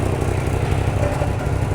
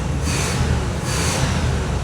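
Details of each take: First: 1986 Oldsmobile Custom Cruiser wagon, heard at the exhaust with many leaks and the rear section missing: uneven, lumpy idle with irregular stumbles, spitting and sputtering before dying. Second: Car with an electronic Quadrajet carburetor runs with the air cleaner off, the vacuum line capped, the electronics disconnected and the check engine light on. It fires first turn of the key and holds an even, clean idle with no misses or knocks.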